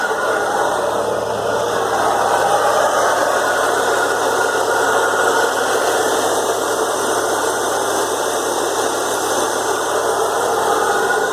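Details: BMW E36 M3 at idle: loud, coarse rattling roar with no change in pace from the engine bay; confirmed failed AC compressor and pulley, the pulley probably damaged by play in the compressor.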